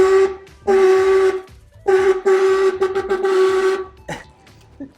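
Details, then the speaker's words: Golf cart revived with a 48 V 105 Ah lithium battery, newly installed horn being tested. Two long, steady nasal honks, then a short blip. The horn works, described as sounding like someone dying. "What's it sound like? >> Sounds like someone dying."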